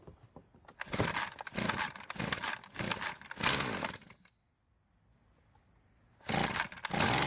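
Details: Poulan Pro two-stroke trimmer after carburetor work and new fuel lines: ragged bursts, cuts out when throttled; lean stall, low-speed screw nearer engine to be turned a quarter turn counterclockwise.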